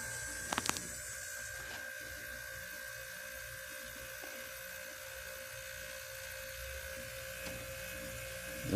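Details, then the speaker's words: 1986 Carrier Siesta 6100 BTU window air conditioner just switched on: steady electrical hum with no rush of air, fan apparently not turning; later it runs noisily as if something is caught inside. "maybe not i think the fan's not working"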